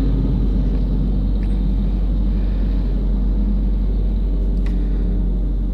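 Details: Engine with a manual clutch, after a tune-up and after clearing codes P0171 (lean) and P2101 (throttle actuator) on a car whose whole body had vibrated: after starting, revs drop to about 1000 into a low, steady, even rumble with no misses, hunting or ticking; smooth healthy idle.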